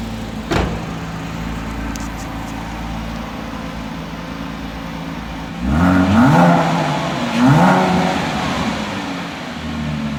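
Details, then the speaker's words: 2007 Porsche Cayman base (987) after replacing spark plugs and coil packs for a cylinder-4 misfire from water in the coil: steady idle, then two quick throttle blips that climb and settle cleanly with no stumble. Normal running. "but I will show you once I'm all done I'll start it on up so you can see that in it in fact does run"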